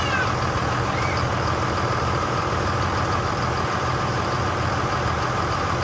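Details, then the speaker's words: 2002 Dodge Ram 2500 24-valve Cummins diesel after the engine was rebuilt and refitted and the injectors bled: steady idle clatter, even and unbroken with no knocking or stumbling, and fantastic oil pressure; sounds healthy. "Has fantastic oil pressure. Sounds good. Doesn't sound like I messed anything up."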